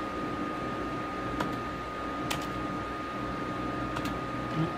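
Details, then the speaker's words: Dell Inspiron 530 desktop after a BIOS update with no fan speed control: steady loud fan rush with a thin constant whine and no speed change; cooling fan running full speed, cause unknown. "settings have changed I'm not really sure why the fan is running full speed that's really kind of annoying and is probably gonna put the brakes on my using this system for this task"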